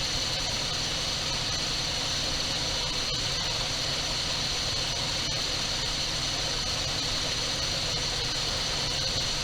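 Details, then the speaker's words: 1978 Dodge D200 crew cab 318 V8, abandoned 17 years, said to have a broken crankshaft: after first start on dribbled gas it idles steady and even with no knocks, ticks or hesitation, running like a top. "I hear nothing. Boy, that thing's running like a top."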